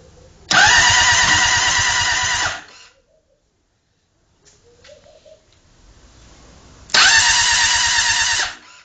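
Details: Honda CBR600RR: two separate bursts of fast, even starter cranking about two seconds each, and the engine never fires; cranks but won't start.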